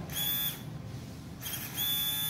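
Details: TA Racing high-pressure fuel pump for a Suzuki FU150 injection, the owner's own working unit bench-powered as a reference during repair of a friend's pump that would not run (suspected sticking inside): two short bursts of clean, high buzzing whine, steady while powered, no rattle or stutter; pump sounds healthy.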